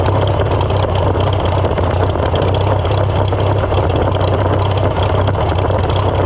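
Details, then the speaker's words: Farmall F-12 tractor on steel, auction find being revived: deep, uneven low rumble, runs but not smoothly; runs worse with air-cleaner piece fitted, owner suspects air cleaner restriction and carburetor needing rebuild. "It does not like that piece fitted on. So, let's take it off for now. Second time I've done that. It is entirely possible that uh there's a restriction in the air cleaner that probably needs cleaned out."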